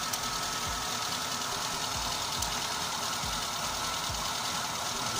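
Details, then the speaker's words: Car with a squealing alternator belt and charging only about 10–11 V, started to let the belt seat in its grooves; starts easily and idles steady and even with no belt squeal; 12 V, then 13.5 V (normal) measured. "запускаем двигатель это нужно для проверки чтобы ремень из точным стал свои посадочные места свои пазы и поехал поехал поехал двигатель завелся легко"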